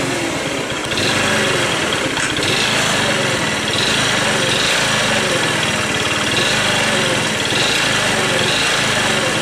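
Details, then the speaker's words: Scooter idling with a busy buzz and loose rapid ticking; valve clearance already set to spec, and the noise persisted with the variator, belt and rollers removed; owner thinks it is not the valves; source unknown. "короче вот такая обида во мне на скутере непонятный стук клапана я настроил все по госту зазор так положено но вот этот стук меня уже одолел"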